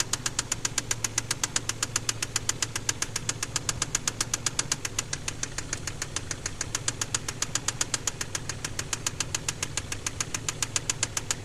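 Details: KLZE V6 at idle: sharp, evenly spaced hard knocks at about four per second; rod knock from spun crankshaft bearings on cylinder No. 6.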